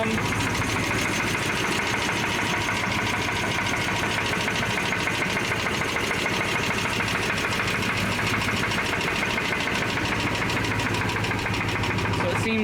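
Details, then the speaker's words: 2007 Dodge Ram 5.7L Hemi V8 idling at about 900 rpm with good oil pressure and the AC running: a dull, rapid, low clunk, louder from the bottom of the engine than the top and briefly gone on a light rev; this is rod knock, not lifter tick. "It's more of like a a lower like clunk noise than it is like high-pitched TICKING NOISE."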